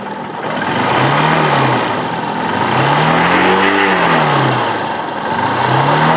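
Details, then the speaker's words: Hero Honda Hunk 150 after full engine repair that cured previous smoke and bad noise, blipped in neutral: revs rise and fall smoothly back to steady tickover, no knocks or rattles; normal revving. "अभी देखो neutral करता हूं और देखो अब आवाज सुनना आप आवाज सुनो भाई कितनी देखो कितनी मस्त आवाज"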